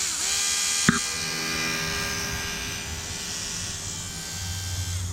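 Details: External inline 300 LPH 12V electric fuel pump for a 5.3L LS swap, bench-tested via alligator clip: steady high electric whine at an even pitch with no stutter or grinding; healthy pump running.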